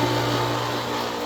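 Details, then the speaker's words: Old 7-year-old Century/Pentair 1.5 hp pool pump motor on Hayward pump, rebuilt once with new bearings: loud, buzzy steady hum, not smooth or quiet; start capacitors keep failing. "is the capacitor keeps going. And this motor is 7 years old now and it's been rebuilt once. I've put new bearings in it."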